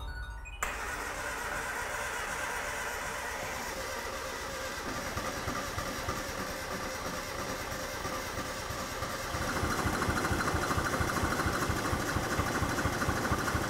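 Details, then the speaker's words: Car sat for years on a farm (possibly under water), first proper run in a long time on a jumper pack; catches and runs lumpy, rougher when revved; owner suspects injectors need cleaning after sitting so long, to be bench-tested out of car. "So it's not quite as happy as I was hoping. I'm thinking that the injectors, because they've sat for so long, they're going to need a good clean."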